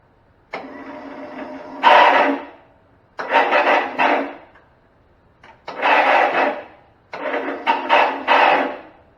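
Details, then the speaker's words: 35-year-old Cub Cadet 1210 with 12 hp Kohler engine, sitting about 10 years: four short bursts of high free-spinning whir with no cranking; starter runs but solenoid isn't engaging the engine. "Doesn't sound good. I'm going to say that the starter is running, but it's not, the solenoid is not engaging the engine."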